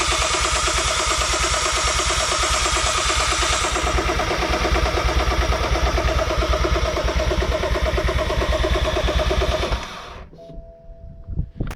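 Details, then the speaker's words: BMW F21 M135i, first start after refitting the ZF 8-speed xDrive gearbox and correcting torque converter seating: steady cranking about three turns a second for ten seconds, never fires; owner suspects no fuel, fuel pump silent though it worked before; 64 fault codes stored. "as we've heard still no luck uh I think we're not getting fuel I don't hear the fuel pump working"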